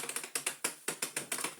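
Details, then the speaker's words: Miele Blizzard bagless vacuum (SKRF3), Comfort Clean filter self-cleaning button pressed: rapid crisp clicks, about ten sharp ratchet snaps in two seconds with no motor hum; the filter-cleaning mechanism ratchets normally. "oh we we best check the Comfort clean Works turn it on I'll push the button there we go actually do something now it would a chance before"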